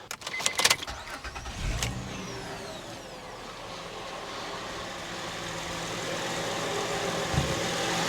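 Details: 2006 Honda Ridgeline after topping up low power steering fluid, with the rack and pinion still leaking slightly: a few clicks, a quick start, then a steady even idle with the earlier startup whine gone.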